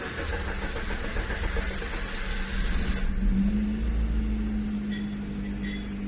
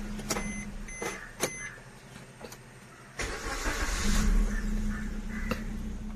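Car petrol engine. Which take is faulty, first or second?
first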